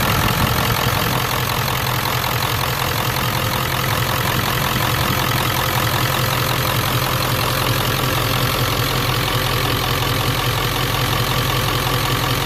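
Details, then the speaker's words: 1994-97 Ford 7.3L Powerstroke with mechanical pump after a fuel bowl delete regulated return kit install: steady diesel clatter at a constant, unchanging idle rate, idling normally. "god I love that mechanical pump"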